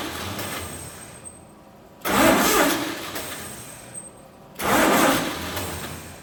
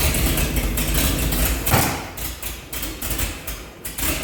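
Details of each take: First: 1948 Chevy truck engine, not run in 30 years, diesel in the oil pan, first start attempt on a 12-volt setup: two two-second cranking bursts that never catch; no spark because the cheap ignition points burned. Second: 1948 Chevy truck engine, first run in 30 years with diesel in the oil pan, warming with steam from the thermostat housing: rough, uneven idle with loose thumps and slight surging but keeps running. Judged normal for the engine's condition.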